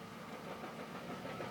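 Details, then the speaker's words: BMW M54 engine in a 330Ci at idle: rough, steady knocking rattle appears when the clutch is released and disappears with the clutch in; failing dual-mass flywheel suspected, not confirmed. "clutches in at the moment and we just release the clutch you hear this horrible noise"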